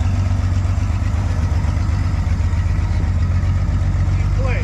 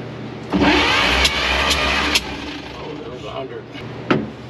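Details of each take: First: Restored 1953 Chevy 5700 COE cab-over truck, Western Nebraska project truck off the road about 50 years, now finished, running and driving: deep, steady idle with an even low rumble that holds its beat, normal idle. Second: 1953 Chevy 5700 COE truck, sat about 50 years, cranked during a compression test (cylinders reading about 60 and 75, one with no compression): starter turns it under two seconds with uneven chugging, a few clunks, then stops; cranking, no start.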